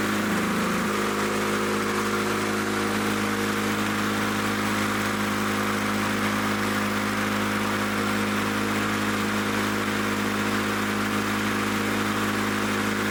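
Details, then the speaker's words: Lawn-Boy Loafer dual-engine rider, front mower two-stroke with new spark plug: steady even buzz, no misses, running strong but settling below the desired speed; owner plans to bend the lever to add governor spring tension. "let me see if I can put more tension on that spring under here yeah let me try bending on this lever may I can boost the RPM I mean it sounds like it's running pretty strong but I want it to run faster"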